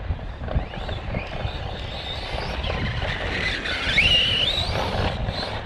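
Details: Kraton 4S RC truck running track laps, about 29.83 miles total: thin, high whine rising and wandering with speed over rough running noise. Owner suspects an unhappy bearing or gear in the drivetrain, not confirmed; teardown considered.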